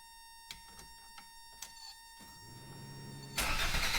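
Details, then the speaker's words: 1986 Toyota MR2 AW11 that stalls right after cranking: chime, then slow uneven starter churning that never settles into running; cranks but no start, fuel smell and combustion noted, air-fuel issue suspected, cause unconfirmed. "So, it's not starting. Still haven't figured out what it is, but I could definitely smell some fuel burning up."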